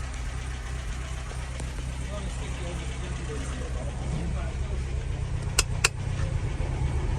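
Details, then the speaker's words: 1963 Humber Sceptre that stood 7 years, newly revived: low, steady tick-over with an even pulse and no knocks, idling on its own; clutch seized on flywheel. "Look, it's ticking over all right. Belting. Job's a good one, mate."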